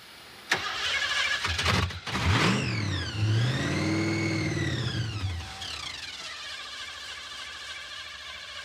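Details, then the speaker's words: '86 Thunderbird 302 V8 with 6-71 blower at 9°F after long cranking no-start, suspected not picking up fuel from the tank: engine fires, revs and dies while a steady whirring crank continues with the key out; starter stuck engaged. "whoa hey ah it's cranking and he's got the key out disconnect the battery"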